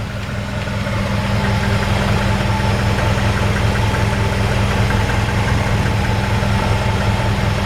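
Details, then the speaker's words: 1951 Ford F1 pickup fitted with an older Chevy engine with single-barrel intake, hood open: even, low steady idle, smooth regular beat, no knocks, ticks or misses; quiet, normal idle. "And you can hear how quiet that engine is. I mean, it just runs perfect."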